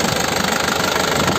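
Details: 2009 Isuzu Panther LS Turbo diesel, manual, engine described as sound: fast, even idle clatter with steady pulses, no stumbles or misses; no smoke from the oil filler; healthy, crisp-sounding idle.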